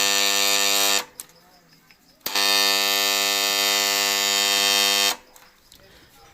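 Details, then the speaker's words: Single-phase submersible pump starter, switched on with supply: loud steady mains buzz cutting in and out with power; contactor buzzing from loose core lamination chattering. "दोस्त आप देखें, starter इस प्रकार से आवाज आ रही है।"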